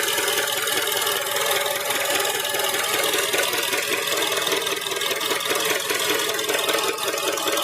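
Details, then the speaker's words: Honda 2.0-litre engine, fine in park; 5-6 seconds after selecting drive, a rough diesel-like clatter over injector ticking, seemingly from the intake manifold; knock under load, cause unknown (valves, piston slap or rod suggested). "Вот слышно звук форсунок, но ещё есть какой-то такой торахтящий, какой-то дизельный звук."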